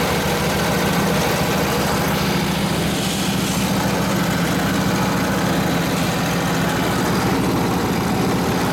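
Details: Rebuilt 1940s Harley 45ci WL flathead V-twin in a modified 1932-34 RL frame, with ignition points just set, runs near full throttle with the drum brake held hard; the deep, even thump takes the load with no misses or knocks, running healthy.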